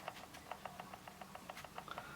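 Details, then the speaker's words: Canon R6 camera being shaken: light clicking rattle in step with each shake. This is normal free play of the in-body sensor-shift image stabilizer. "there is a bit of rattling but that's normal because of the in body stabilization"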